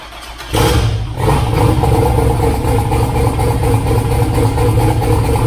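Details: 2000 Camaro V8 with newly wired Holley Dominator EFI, first start: catches and settles into a loud, lumpy, uneven idle with a wavering beat; running rich, needs idle tuning and fuel map work.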